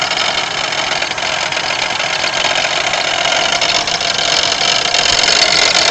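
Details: 1992 Pontiac Grand Am 3.3 at idle: a steady, dry, gritty grinding rattle with no clear rhythm over the engine, as if something is loose or rubbing. The owner suspects the harmonic balancer, but the cause is unconfirmed.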